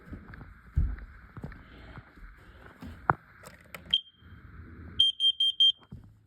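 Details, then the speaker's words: Upstairs alarm during an August 2 smoke and carbon monoxide alarm test: after handling clatter, one short shrill beep then four quick high chirps, not loud or echoing; alarm still works. "It's not loud. It's not echoing, but it does still work."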